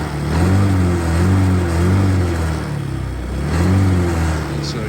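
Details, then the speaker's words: 2009 Honda Metropolitan scooter, sat for a while, started on starting fluid: idle swells and sags about every second and a half, near stalling; owner attributes it to sitting, fuel not yet flowing through. "what what's gonna happen since these are in the city is that that's that might end up dying because it's it's uh it's been sitting for a little bit"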